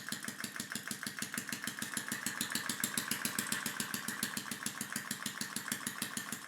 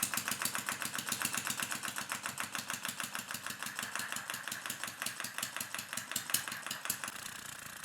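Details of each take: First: Homemade air engine running on water-pressurized tank air: fast, even clacking about seven beats a second with a hissy edge, overspeeding because the inlet valve admits too much air; fix was shortening the valve-opening pin. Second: Small homemade air-powered engine with enlarged diaphragm, driven by compressed air from water filling a tank, running at low pressure: crisp, even exhaust puffs about seven per second, steady beat, no stumbles: normal running.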